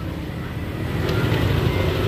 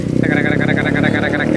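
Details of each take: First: Yamaha Aerox 155 scooter after repair from late oil change: low even idle, smooth steady hum, no top-end tapping; normal idle after repair. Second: Yamaha Aerox 155 scooter: fast sharp metallic ticking steadily over the running engine; suspected camshaft bearing or rocker arm, pointing to worn rocker arm and camshaft.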